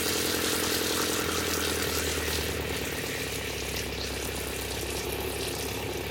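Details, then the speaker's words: RV water pump after installing an intelligent variable pump controller: quiet, even hum with water hiss, no surging, smooth down to a trickle. "Wow, what a difference. There's no surging. It's nice and smooth, all the way down to just a trickle. I can hear it, but just barely."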